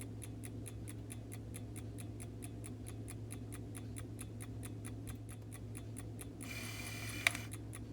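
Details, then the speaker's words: Vintage Coca-Cola clock after cleaning and lubricating bushings: quick even ticking, then short soft hum of the rewind motor, activated by cam-closed contacts about every eight minutes, ending in a click; motor runs quiet and healthy. "perfect that's what I want to see right there and that motor runs really quiet so that's very good"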